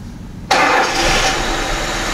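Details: VAZ 2121 Niva with a Solex carburetor, brought in for heavy fuel consumption and hard starting, just after its spark plugs were replaced: the engine catches instantly and revs strong and even without misfiring. Normal start and rev; ignition is now healthy.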